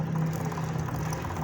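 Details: Honda CG 125 motorcycle after new chain sprocket set fitted, previous thak-thak chain sprocket noise fixed; low even hum with no rhythmic slapping or clacking: chain drive runs quietly.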